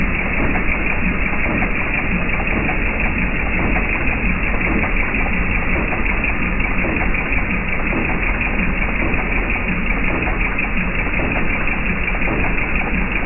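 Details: Jeep TJ Wrangler 4.0 I6: steady idle with a dull, regular knock riding under the engine note. Engine knock at idle, source not yet pinned down.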